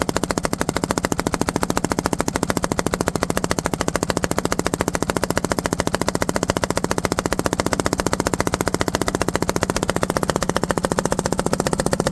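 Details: Tow-behind mower with its own engine and five-foot steel deck, running poorly: sharp hard pops about three or four a second with little smooth running between, exhaust blowing back out through the carburetor.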